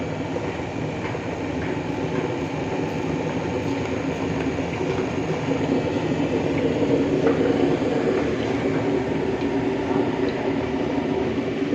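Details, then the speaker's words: Fully automatic washing machine opened up, motor running the drum; loud steady rumbling grind with uneven rattle coming from inside the drum at the pulley, drum itself turning correctly: drum pulley noise. "इसमें यहाँ पे इसकी जो पुली लगी हुई है, इस पुली के ड्रम के अंदर से आवाज़ आ रही है और काफ़ी साउंड आता है।"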